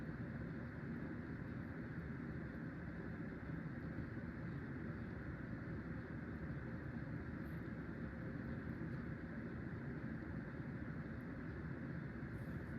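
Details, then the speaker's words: Hunter Low Profile V ceiling fan by CEI, dated 2003, after replacing worn bearings; even soft steady whoosh with no grinding, rumble or ticking, much quieter, slight wobble: normal running. "It's much quieter with new bearings, and still has a little wobble, and it blows good amount of air."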